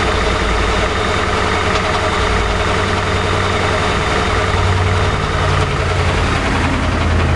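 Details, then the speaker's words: 2006 CVPI, recorded near the catalytic converters: heavy V8 idle with an uneven, lumpy pulse and occasional stumble; engine visibly shivering, rough idle, cause not yet determined. "yeah it's running but as you can see the engine is shivering"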